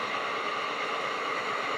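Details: Tefal Access Steam Force DT8270G0 handheld garment steamer (2000 W, 200 ml tank) switched back down to delicate (low) steam level: soft, steady hiss with faint whistle, even throughout; normal steam output.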